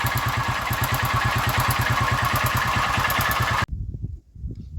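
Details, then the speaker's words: Honda Titan small single-cylinder motorcycle at idle: steady clatter of about three knocks a second over the exhaust, then shut off; tappet noise and rod knock, blamed on running old oil. "Deu um problema aqui no motor, um barulho muito feio, né? Barulho de tucho e outro barulho aí, que nem força aí, biela."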